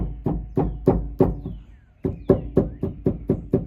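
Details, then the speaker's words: 2013 Mustang GT, driver-side rear: quick hollow metallic knocks, about four a second, as the worn sway bar stabilizer link with play is struck by hand, matching the rear clunk heard over bumps while driving. "kind of similar to what the clunk sounds like when I'm driving uh yeah so it looks like the stabilizer needs to be replaced but you can tell there is some plane there"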